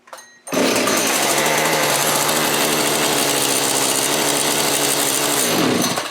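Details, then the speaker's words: Old Echo chainsaw; revs scream high and steady without returning to idle, lean racing sound; area behind carburetor suspected, massive air leak found, source not yet identified. Air leak. "okay we found our massive air leak now we got to figure out what it is"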